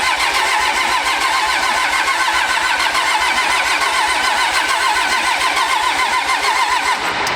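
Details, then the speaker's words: Pro street truck on first start after a Motec M141 install, rail pressure sensor not yet working: steady starter cranking at about three and a half beats a second for over seven seconds, never catching; no fuel supply pressure. "No fuel supply pressure."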